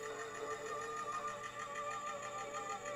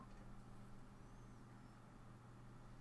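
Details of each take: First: Stereo Step 120 portable cassette player (Walkman clone) under repair: music plays slow with a sagging, wavering pitch, as if the tape is dragging; there is also a catching sound. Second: Stereo Step 120 portable cassette player (Walkman clone) powered up after repair: faint smooth motor hum, tape mechanism spins quietly with no catching or scraping.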